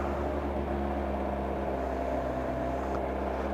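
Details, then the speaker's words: Kawasaki ZZR1100 (ZX11) four-cylinder idling on its centre stand after new coolant hoses, thermostat, fan, oil and filter and refurbished headers; hot day but still needs choke. Steady, even idle with no knocks, ticks or misses; normal. "okay she sounds okay checked all the tire pressures hot day today but even so it still needs to choke"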